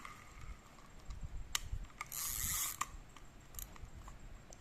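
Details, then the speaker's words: Used Daiwa Sportline-1000 vintage Japanese fishing reel: soft, even ratcheting clicks as the handle turns forward and back, with no grinding or catching; normal operation. "หมุนเดินหน้ามีเสียงแบบนี้นะครับก็หมุน่นประมาณนี้ครับการจับทำงานปกติหมุนเดินหน้าถอยหลังได้"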